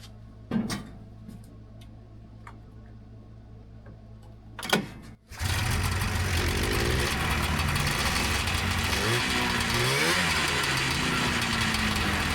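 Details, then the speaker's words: 1977 TX340 grass drag snowmobile two-stroke after fitting a replacement clutch following a stuck clutch; catches after a few clicks, steady buzzy run revving smoothly, clutch engagement about 5200 rpm, no clatter or slipping; normal running. "Uh just checking the clutch engagement there. It looks like 5200. Good enough for starters."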